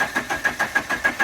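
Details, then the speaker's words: 1985 Dodge Daytona Turbo barn find, fuel poured into throttle body, spark unchecked: starter chugs evenly and briskly about six beats a second, healthy crank but no firing, no start; cause suspected, not confirmed. "The crank's good. Sounds good. These things are kind of stubborn sometimes."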